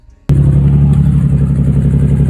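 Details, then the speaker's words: Nissan 350Z drift car firing into a lumpy, uneven idle with a stumbling exhaust beat; misfire traced to two cylinders whose spark plugs were soaked in gasoline. "So I thought it was like a misfire or something. So I just started doing maintenance stuff."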